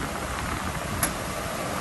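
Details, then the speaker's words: Truma Aventa roof air conditioner on a towable RV, fan on high ("hurricane") speed: a loud, even rush of air with no rattles, ticks or pulsing, putting out a ton of air; normal operation. "We'll go to high. And that's pretty loud, actually. But it is putting out a ton of air."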